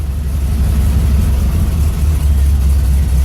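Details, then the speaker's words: Carbureted bus engine after a cold start at about 45°F, still not warm and not ready to drive: slow idle, deep and steady low rumble, even with no misses or knocks. Normal idle during warm-up. "as you can hear now, it's idling low, but it'll stay. This will run for the next hour or till it runs out of gas. Again, it's not warm yet, so you don't want to drive."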